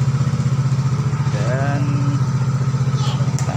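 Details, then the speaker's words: Yamaha X-Ride scooter after it died suddenly while riding, now repaired. On the electric starter it catches at once and settles into a steady, even low putter. A normal idle. "betul Alhamdulillah nyala kita coba starter e"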